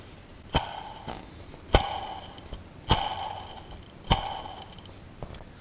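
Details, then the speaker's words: Supercharged Subaru Outback EJ25 DOHC, timing belt removed, cogged timing idler spun by hand with a metallic ring and rough rattly roll; the bearing has play, unlike the silent smooth idlers, and is the suspected cause of a squeal. "that sounds like a skateboard bearing. So it's not the sound that I heard when I had it running, but what you got to take into account is that I'm spinning that much slower. And check out this. There's quite a bit of play on that."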